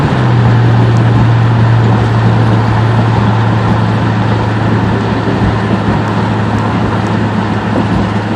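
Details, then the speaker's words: Newer Lexus SUV heard from a following car over road noise: loud steady low drone with a hissy, puffing edge, like air escaping from the block; observer suspects every exhaust manifold gasket blown. Exhaust leak unconfirmed. "it sounds like he blew out every single manifold gasket on the damn thing"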